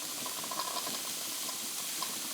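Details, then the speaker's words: Wilesco D20 toy steam engine, reactivated, safety valve lifting at max pressure, running counterclockwise: soft even steam hiss with faint regular chuffing, slightly quieter than clockwise, possibly a valve-timing quirk; normal smooth running. "And it's a little bit quieter running counterclockwise as well. Probably some quirk in the valve timing, but either way, the engine doesn't really care in which direction it's running."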